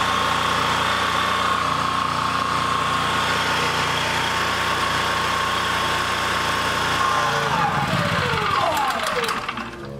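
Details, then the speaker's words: Honda EB3000c generator, inverter and low-oil shutdown wiring being tested, not putting out power: steady drone for about seven seconds, then the engine winds down and quits as soon as the low-oil shutdown is plugged in. "as soon as I plugged that in it killed it"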